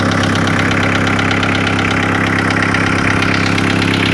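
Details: VW T4 1.9 TD ABL diesel after a sheared crank gear bolt, piston-valve contact, all valves replaced, later a replacement head: steady idle with sharp regular knock about three times a second; shop suggested lifters or injectors, cause unconfirmed.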